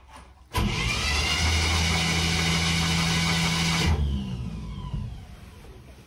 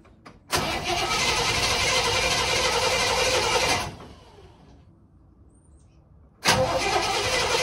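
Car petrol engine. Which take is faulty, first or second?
second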